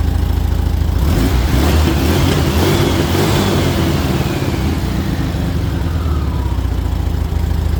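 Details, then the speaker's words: 1978 VW Super Beetle convertible, L-Jet fuel injection, after setting timing and mixture and correcting bypass screw: brief blip then steady even idle about 800 rpm, no hunting; owner satisfied with tune. "Yeah. I mean, I think I like it. I think I like it where it is."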